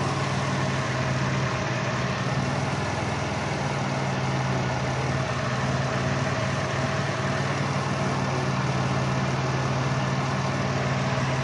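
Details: Caravan misfire, code P0301, at idle: irregular stumble about four uneven beats a second; open ignition wire on cylinder 1 forces the coil to fire about 40 kV instead of 10–15 kV, found with TA500.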